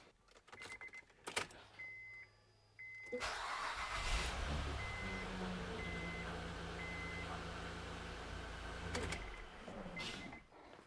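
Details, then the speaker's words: Honda Pilot (Acura MDX type) V6 just after upper intake manifold gasket replacement: brief crank, quick catch, even steady idle with no misses or odd noises; normal start and idle. "Sounds good."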